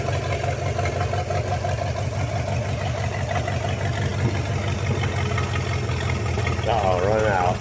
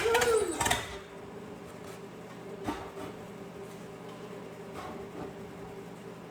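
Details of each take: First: 1956 small-block 265 V8, bought non-running, now idling off its own carburetor with the fuel pump working, oil pressure not yet confirmed: even, low burbling idle at a steady beat, no stumbles or ticks; idling cleanly. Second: 1956 small-block 265 V8 (block built 1955 or 1956), bought non-running with truck manual transmission, fed fuel from a bottle: quiet, uneven, stumbling beat about four per second; misfiring, owner suspects spark plugs or wires.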